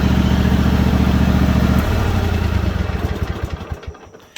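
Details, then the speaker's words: John Deere GT245, 20 hp Kawasaki V-twin, 621 hours, after tapping fixed: steady even idle beat with no tapping over the exhaust, then smooth shutdown and run-down; valve train sounds healthy. "Well, you can see John Deere GT245 20 horsepower V-twin Kawasaki. 621 hours. Sounding as good as ever."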